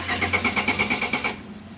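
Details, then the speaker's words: 1993 Honda Accord automatic cranking evenly about nine beats a second but never starting, D4 light flashing, won't shift when it runs; no-start traced to a failed main relay, fixed by repairing the relay. "She gets the key in there, goes to turn it on, everything lights up, but then her D4 lights start flashing. In addition to that, turns over but doesn't start."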